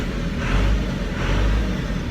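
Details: JCB Loadall 120 turbo telehandler after replacing a fuel pipe that had rubbed through and caused a no-start: deep, steady diesel rumble swelling gently with throttle, no misfire. Engine running properly again.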